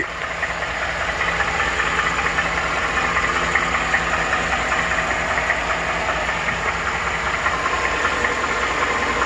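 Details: 2014 Ford F150 5.0 Coyote V8 at idle: a fast, even light tick keeping pace with engine speed. Ford calls it a typewriter tick. It began around 40k miles, is still present at 80k, and dealers found no cause; owner thinks it's at the bottom.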